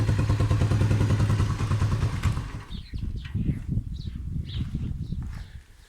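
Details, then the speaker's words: Motorcycle left outdoors in rain and snow, idling: steady thumping breaks into uneven, stumbling beats as if about to stall, fuel starvation from a clogged tank petcock filter or rust and water in the carburetor. "karbüratör yeterince benzin alamadığı için de motora yeterince benzin gitmez bu şekilde çalıştırınca ya stop eder ya da sesi iyi dinleyin şu şekilde tekleme yapar bakın sanki stop edecekmiş gibi ve biraz zaman sonra motor stop eder kendiliğinden"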